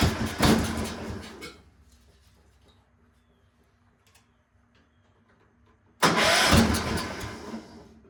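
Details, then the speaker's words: Cub Cadet 1250 garden tractor, not run in seven years, cranks and catches at full throttle with a loud sharp bang, then again after a pause: backfire on starting; owner says it seems to run really rich and needs carb adjustment-screw tuning. "wo that was a good backfire yeah that was legit"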